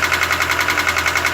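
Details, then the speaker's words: New 2017 GAZelle Business, Evotec 2.7 petrol engine, 747 km, running in on petrol with factory LPG kit: hard sharp knock about six times a second over steady idle, began as a click, felt under the valve cover. "Идет стук. В районе клапанной крышки. Сперва был щелчок, и теперь вот такой жесткий тряк."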